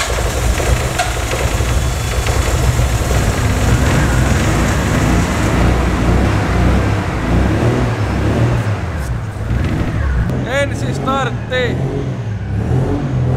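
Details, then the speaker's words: Nissan Skyline R33 first start after ECU inspection (oxidation, possibly burnt resistor): steady even engine note holding through a rev, running without throttle, no knocks or rattles; runs smoothly. "siinä se nytten ilma ilma kaasuakin käynnissä on ja nätisti käy ei kolise ei kilise"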